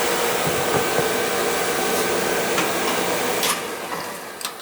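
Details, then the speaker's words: Viessmann oil-fired boiler not heating: steady whoosh of burner motor and pump, oil flowing but flame never catches, pump pressure possibly low; no ignition from dirty nozzle. "check the nozzle i'm getting oil flow let's change the nozzle"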